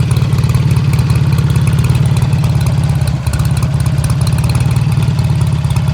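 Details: 1951 BSA A10 Golden Flash 650 twin, revived after 4 years in a museum with a new battery and cleaned carb. Strong, even low thump at a steady idle with no knocks, misses or rattles; idles cleanly.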